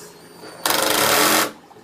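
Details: Drill/driver in forward, gear shift on 2, adjustable clutch raised to about 12, driving a short screw: motor whirs briefly then a rapid, even ratcheting clatter under a second as the clutch slips before the screw is fully in; torque setting too low.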